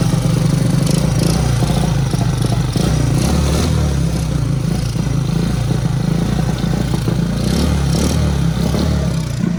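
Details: Honda Super Cub (Platinum model) converted to CDI ignition at home: small single-cylinder engine idles and is blipped a few times, rising and settling cleanly without stumbles; runs normally.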